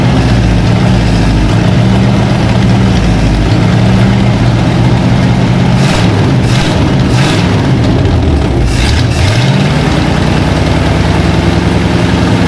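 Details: Abandoned 1956 Oldsmobile 88 V8 revived after plugs done and carburetor bowls filled; catches and keeps running, revs swelling and falling back to a rough but steady idle; it runs again.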